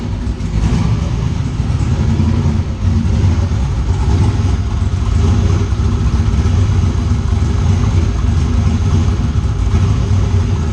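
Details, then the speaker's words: Turbo engine on MegaSquirt ECU after loose turbo-side intake couplers were fixed: throttle snap test, quick blip settles back cleanly without stalling; healthy idle and much better throttle response than before. "And then another test I do is I'll just snap the throttle and make sure it doesn't die when it comes back down. Look at that. Way more throttle response, guys."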